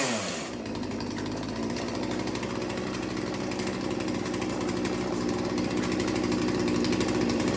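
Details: Small two-stroke chainsaw after sharpening and carburetor idle tuning, idle screw turned almost a full turn: steady even idle with no stalling or hunting; idle problem fixed.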